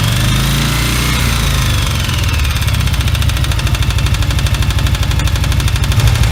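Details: 1981 Yamaha XV750 Virago engine running with loud even chatter and sharp tapping about three per second over exhaust beat; owner suspects rear-cylinder valve tapping after warm-up, possibly missing head gasket or valve spring; source unconfirmed.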